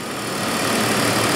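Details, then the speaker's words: 2001 BMW E39 525i M54 inline-six after replacing the alternator-side belt pulleys and belts, which had made a loud high squeal. Now an even, steady idle with no squeal or chirp, much quieter. "much much more much uh quieter now so that is uh is really nice a relatively inexpensive thing to do"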